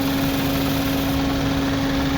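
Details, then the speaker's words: 2010 Honda Civic fuel-injected VTEC, automatic, never fitted with gas, heard at the engine bay: steady, even idle hum, constant pitch, no stumbles or ticks; normal idle. "นี่ครับเครื่องยนต์เดินเรียบๆนะครับไม่มีสะดุดนะครับลองฟังเสียงเครื่องได้ครับเครื่องของHondaเครื่องvtechนะ"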